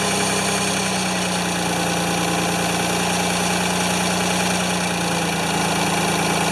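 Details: Free Ford 2600 tractor on first start attempts, smoking as it burns oil off, with plug wires popping off. A steady idle with an uneven, slightly lumpy, fluttering beat. The owner says fuel delivery is not feeding enough fuel to run cleanly.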